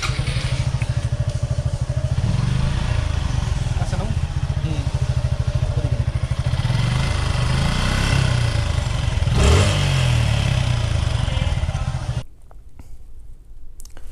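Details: 2020 Suzuki Gixxer FI ABS single-cylinder after tappet adjustment: even idle thump with no tapping over the exhaust beat, valve train quiet.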